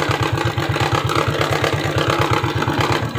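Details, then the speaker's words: Suzuki Shogun 125 idling with battery fitted: even steady pulse about 100 beats a minute, no misses or knocks; smooth normal idle (rough without battery due to weak regulator/rectifier). "suara mesin pada Shogun 125 ini terasa halus terus kita coba ukur kembali yang masuk kedalam sinyal"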